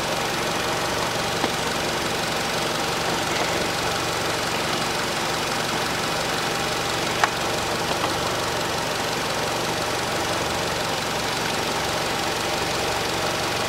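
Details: 2012 Nissan Qashqai 2.0 petrol after spark plug replacement (NGK PLZKAR6A-11), warmed up, engine cover off; steady even hum at low idle around 700 rpm, no stumbling or tapping; normal idle.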